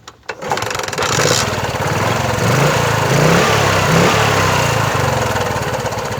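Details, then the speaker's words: Bajaj Chetak 4-stroke scooter after installing a new CDI unit: starts on a single kick and settles into a smooth, even idle with a steady beat and no knocking or stumble; still fine after over 10 minutes running. "Single kick में स्टार्ट हो गया, जो कि पहले भी होता था।"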